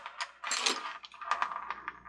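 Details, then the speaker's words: Department 56 Glockenspiel music box, gear train turned slowly by hand: light, uneven metallic ticks and clicks. One gear has a cast flat spot; the owner wonders whether it is the lock or a misalignment making the gears jump. Clicking in gear train, cause unconfirmed. "you hear the clicking I'm wondering if that's the lock you have to turn it to the flat spot to get it to disengage"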